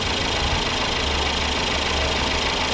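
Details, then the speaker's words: Turbo four in a Chevy Blazer (description says stolen 2019) with only 60-some thousand miles; smooth, steady idle with even hum, no knocks or misses, purring like a kitten and running perfect. "Yeah, a little turbo 4. Purring like a kitten."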